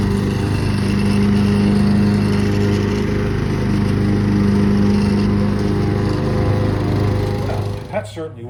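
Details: Craftsman manual-drive lawn tractor, 15.5 overhead-valve engine, revived after about 4 years in a shed: steady, even engine drone holding speed under mowing load, no misses or knocks; sounds healthy.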